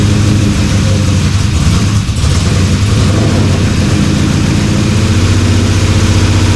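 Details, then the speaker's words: LS-swapped Dodge Dakota V8 after sitting a year, internal one-bar MAP, first start without coolant system: lumpy, stumbling idle, seems to run on one bank; owner suspects injectors not injecting properly; some headers stay cold; rough running. "H sounds like it's only running off One Bank"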